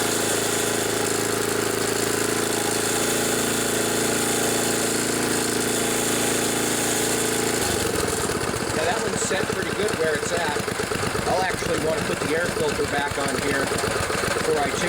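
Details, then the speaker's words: 1974 Sears Craftsman Rotospader rototiller, Tecumseh engine, new carburetor after long barn storage, rough-tuned with air filter off. Holds a steady high speed, then drops to an even, regular idle with no stumbling: runs well. "this old machine runs and it runs pretty good i'm happy about that turned out pretty nice"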